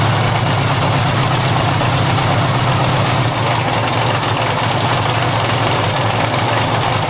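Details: Honda GL1100 cold start without choke: engine idles loud and busy with a steady low thrum and clattery mechanical ticking on top; noisy cold idle, cause unknown.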